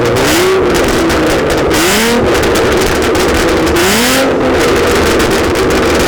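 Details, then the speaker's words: Catless V6 Mustang on an octane tune with 93 octane, revved on the road: loud raspy revs rising and falling with sharp crackling pops on overrun. Running rich with backfire, though owner is unsure the tune makes it rich. No flames seen. "Let's see if this thing shoots flames. I'm not gonna do it here in my driveway. I'm gonna drive across the street where there's no houses, because it's loud. Oh, that didn't sound very good. Oh, Jesus."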